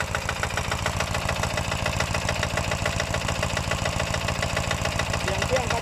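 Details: New Kanto KT-DP30H single-cylinder diesel 3-inch water pump engine, recoil pull-start, after first start: quick even thumping at idle, steady beat, no knocks or misses; healthy normal idle.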